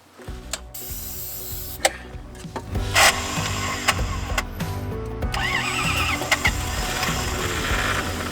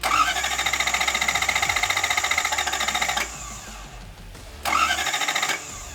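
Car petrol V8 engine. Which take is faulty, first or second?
first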